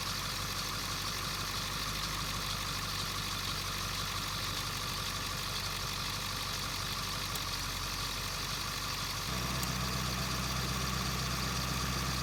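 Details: 2001 Ford F-350 diesel at idle, checked with a mechanic's stethoscope for squeaking belts; diesel clatter with steady high squeal unchanged by speed, belt squeak, stethoscope test inconclusive.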